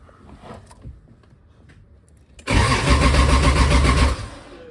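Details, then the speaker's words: 2JZ engine on a first start attempt: the starter spins it at a steady three-odd beats a second but it never fires; crank, no start with no fuel pressure because the fuel pump is not running. "we have no fuel pressure no fuel pressure"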